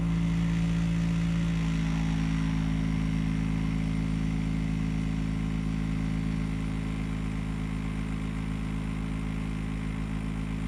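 A loud, steady low hum with a deep drone, a tone settling in the first two seconds, then an even rumble; abnormally noisy unit.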